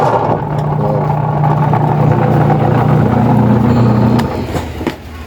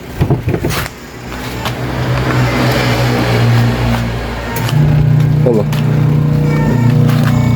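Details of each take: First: Washing machine during wash agitation, loud droning hum with rough low rumble; with the belt removed the motor spins quietly, so the fault is a noisy worn gearbox. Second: Washing machine motor spinning with the belt to the gearbox removed: a steady, even low hum with no grinding or knocking. Because the motor runs quietly on its own, the noisy gearbox is the fault and needs replacing.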